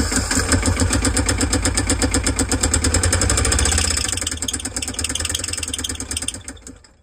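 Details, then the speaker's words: Sailboat diesel that repeatedly died over five years, before replacement with a new Beta Marine 16: harsh, uneven clatter about three beats a second, then dies; damage found to the crankshaft and bearing. "To my surprise, there was damage to the crankshafts and bearing. This is a real big problem."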